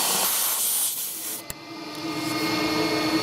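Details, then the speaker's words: GMC Envoy electric secondary air pump, code P0410, outlet line plugged back in: strained hissing rush that sags and labours instead of flowing freely; pump restricted, suggesting the diverter solenoid valve is not opening. "And you can really hear that air pump struggling. And so [music] with it plugged in. And so what that suggests to me right from the get- go is that this solenoid/diverter is not opening."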